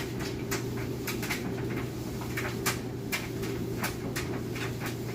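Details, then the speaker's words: Whirlpool electric dryer on timed dry with a heavy load: steady low motor hum with soft uneven thumps of the load tumbling, drum turning smoothly; nice smooth operation, normal dryer operation. "great. Nice smooth operation."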